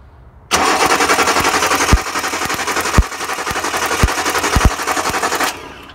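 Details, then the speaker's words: Datsun 260Z L28 with 123 ignition and a misfire like running on 5.5 cylinders. While cranking there is a steady whir with sharp irregular snaps as spark tracks from a brand-new, uncracked Bosch distributor cap to its bracket on one side. Wrapping it in electrical tape fixed it. "that to me says the cap is actually fired itself when it's brackets it's only doing it on that side I can't see it on the other side when I crank it"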